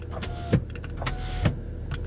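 Smooth steady motor whir with a clean clunk at each end of travel, rising and stopping evenly; the window runs normally.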